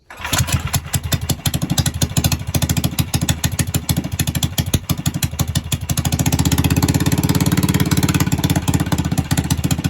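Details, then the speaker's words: Predator 301 engine on a Coleman, ported and polished, first start: fires on the first pull into an even, quick single-cylinder beat that rises slightly and holds clean; owner feels idle may be too high. Normal start and idle. "But I mean, like I said, so far it's been one puller. She sounds good, man."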